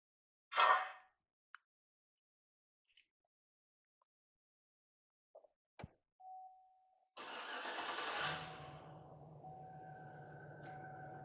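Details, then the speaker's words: 2007 Chevy Silverado 5.3L V8 started after chime, lumpy rough idle with flashing check engine light; coils 1 and 3 swapped but cylinder 1 still misfiring. "Oh yeah, still running rough."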